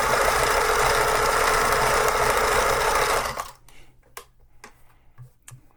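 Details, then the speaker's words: Thrift-store vintage Pfaff 360 sewing machine with a broken power cord, not yet cleaned or lubricated: fast, even stitching rattle at about three and a half beats per second, steady until it stops; normal running. "so far um other than just needing cleaned and lubricated this thing is working like a champ"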